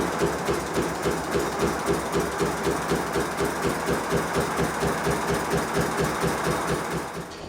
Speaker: the knocking is partially due to the overtightened suspension and partially due to the fact that the boiler is over full and water has gone into the cylinders and it's blowing out of the chimney